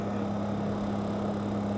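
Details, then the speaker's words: MRCOOL Universal series heat pump, self-installed, starting after a GFCI breaker fault. A steady low hum with a constant tone, slightly high-pitched, and a unit vibrating a little; the compressor is slowly starting and running normally. "I think it might be working. Yeah, this is slowly starting up. Hear the compressor starting?"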